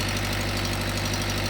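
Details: 2014 Mitsubishi Adventure diesel, long overdue oil change, hard starting needing throttle: clatter at idle with a faint uneven stumble, slight misfire from air in the fuel system; injectors bled.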